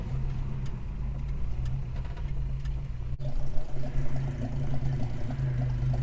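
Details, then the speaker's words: Holden HK, engine still on the crossover exhaust without extractors, heard from the back: deep, meaty, steady low rumble with an even beat and one brief knock of handling noise; healthy, smooth idle. "because it's just got that beautiful, deep, meaty sound to it."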